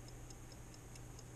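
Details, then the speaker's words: 1955 Ford original electrically wound dashboard clock, opened up and running again after WD-40, first time in 18+ years: crisp even ticks about four to five per second as the spring-driven fly gear turns; working normally. "there you go you can probably hear it ticking ticking away my little fly gear turning around with the spring on it"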